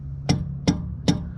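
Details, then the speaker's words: Motorhome tire struck with a thumper tool at low engine idle: three sharp strikes, each with a short ringing ping. Old trucker's check that the tire holds air; a dull thud would mean low pressure. "Well, that tells me, that little ping of that tire tells me that tire's got air pressure in it. This is an old trucker's trick."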